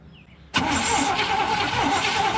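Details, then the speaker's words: 1972 GMC ramp truck, 454 Chevy big-block: starter spins steadily two seconds without firing; crank-no-start from fuel starvation because the fuel pump was never hooked back up. "Oh yeah, we never hooked the fuel pump back up. That's why it only ran so long. Ran it out of fuel."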